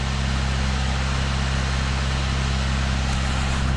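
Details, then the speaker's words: Idle after the unbolted exhaust back box was bolted to the centre pipe, on what is believed to be a standard exhaust: a steady, smooth low rumble with no blowing or rasp. Much quieter than before, and the engine, with little work done yet, sounds pretty good. "But it's a nice sound to say that at this point we haven't done a lot of work to the engine. It's pretty good."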